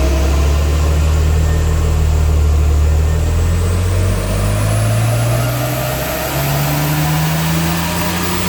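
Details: 2004 BMW Z4 2.2i on a rolling road, full-throttle run; a strong, even engine note climbs smoothly in pitch over roller hum, healthy and pulling cleanly.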